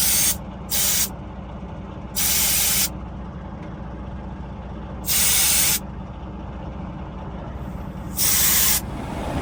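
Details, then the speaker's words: Air brake supply line leak under a truck, mic in front of the rear axle: sharp loud hissing bursts come and go over a quiet engine idle as the hose is moved; the hose rubs against the rear end housing near a distribution block feeding the brake chambers. "But as you come back this way, you can definitely hear the air leak. Sounds like it's coming from in front of this axle."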